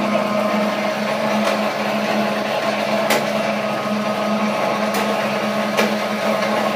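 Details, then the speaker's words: Chinese-made sugar cane press, new model, running: steady motor hum with a constant mid-pitch drone and sharp ticks every second or two, seemingly from the lower drive area rather than the rollers; no play found, cause not pinned down. "again it sound like the noise is coming down in the lower area not up in the area where the the rollers are"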